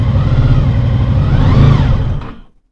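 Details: 2000 Honda VFR800, fuel-injected and restricted, first start after 6 months' winter storage on old fuel. Rough, lumpy rev with an uneven beat that dies quickly. One cylinder is completely dead with its exhaust pipe cold, from a loose coil connector.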